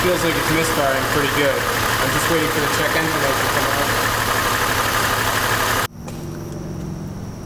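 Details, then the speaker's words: 2002 Chevy Trailblazer at idle after codes were cleared: lumpy, uneven idle with a stumble about four times a second, a cylinder misfire. No check-engine light at idle; it appeared after running around 1,500 rpm. Fixed by replacing one part. "letting the car run for a little while I finally was able to get a check engine light it didn't seem to want to give me a check light at idle we're thinking because maybe the crankshaft sensor couldn't quite tell which of the pistons wasn't firing at that one point in time"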